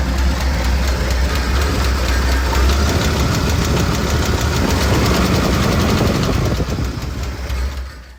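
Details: Ford 300 straight-six in an F-150 gives a sharp, loud knock about four times a second over a rough idle until shutdown. The owner says the motor is blown; the cause is not yet confirmed before the valve cover comes off.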